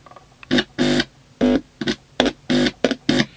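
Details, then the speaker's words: Experimental TDA1519A 6-watt stereo amplifier, inputs normally closed with 27k resistors: touching the inputs with a finger gives short harsh mains hum bursts that stop on release, showing a very sensitive input. "you can also hear how sensitive the circuit is when i touch with my finger i don't touch it you can hear the hem already but that will be no problem when all is finished"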